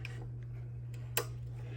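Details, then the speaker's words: WEN drill press with quill moved by hand: a few sharp clicks over a steady low hum, quill completely loose after a ping; broken return spring, replaced. "So it will be a little play, but I can feel it's completely loose. And when I move this, I can hear that clicking noise,"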